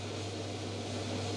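Smooth, constant motor hum under a soft airy rush, with no scraping, rattling or squeal; the dryer fan runs like new.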